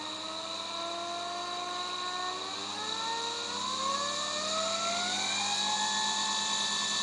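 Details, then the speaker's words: DC motor on a PWM power regulator fed 26 V (about two batteries in series), current limited: a smooth whine, spinning very slowly at minimum, with steady tones climbing evenly in pitch as speed is raised; normal running under PWM control. "vamos a ver si regula a mínimo gira muy despacio"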